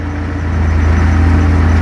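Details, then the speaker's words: 1940 Ford with Opala gearbox: low steady droning hum with pulsing rumble while the clutch is released, stopping when pressed; gearbox noise with clutch engaged, cause unclear. "vou soltando devagarinho devagarinho devagarinho em cima de novo aí entendeu é esse o barulho"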